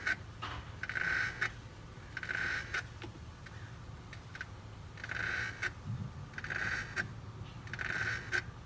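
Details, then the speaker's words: BMW E9X electric coolant pump during system bleeding, after failure: faint, uneven whirring surges about every second with gurgling between, and coolant not flowing properly into the expansion tank; the water pump is dead. "and you'll hear the pump make really weird sounds I believe I still have a video of this from when my water pump actually failed and it sounds really weird"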